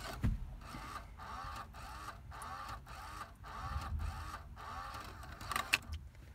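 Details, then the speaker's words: 1999 Ford Escort ZX2 cassette deck, key on: soft whirring clatter repeating about every half second, then a click as the tape ejects without playing; mechanism cycling fault. "but now it does something completely different and just makes that noise and then adjust the tape"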